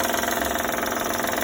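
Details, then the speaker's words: 2012 Honda Odyssey at idle: fast, even ticking pulses from the belt tensioner side, suspected tensioner, with oil leaking nearby. Rhythmic engine ticking noise, cause not confirmed. "Bueno, esto es una Honda Odyssey 2012. Tenemos un ruido muy característico estos motores. Al parecer es el sensor de la correa y de nada."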